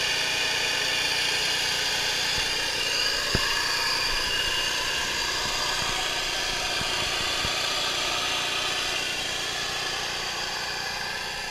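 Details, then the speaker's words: Audi A6 Allroad, used and for sale, at cold start. A steady rushing fan noise over a smooth idle: the radiator fan comes on immediately after starting a cold engine, which is flagged as unusual. "And one thing is odd. As soon as I start the car, I hear the radiator fan go on right away. Now, that's not usual."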